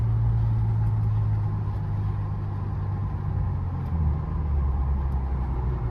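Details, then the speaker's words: 2013 Camaro RS after a new fuel pump was installed without dropping the tank: a low, steady rumble with no misses, knocks or whine, a smooth, even, normal idle. "So now I'm gonna connect the battery and turn on the car, pump some gas. It's a new fuel pump, and let the gas just flow through, and then give a couple of pumps and then start it up and go for a drive."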